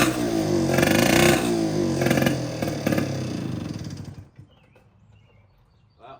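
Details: 1960s Cal Jet two-stroke outboard that sat for years, run in a water bucket with fresh fuel: it buzzes and revs unevenly for about four seconds, then fades and dies, unable to keep running on its own. Cause not confirmed.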